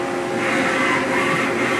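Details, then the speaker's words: CNC machining centre, Y axis jogged down toward zero. Its hydraulic counterbalance cylinder makes a "wing wing" sound. A steady rushing hum with a faint, even whine during travel; normal counterbalance hydraulics. "and you can actually hear the balancing cylinder on that machine going with a hydraulic and going wing wing yeah actually very nice"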